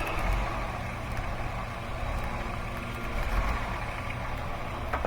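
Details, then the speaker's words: 2005 Chrysler Town and Country at idle with intermittent rough running: slightly uneven, lumpy beat with occasional stumbles and a visible arc from a spark plug wire; misfire though no misfire code is set. "i can hear a spark plug while arcing too you hear that you can see it look see that that little spark i'm surprised it doesn't have a misfire code that's odd"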